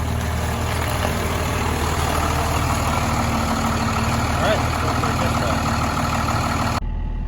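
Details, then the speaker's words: 1996 Chevrolet Suburban with swapped Cummins diesel, cold start after wait-to-start light: steady even diesel clatter at idle with no misses or knocks, slight haze of cold smoke; normal. "Since it is cold, it will smoke just a little bit of haze."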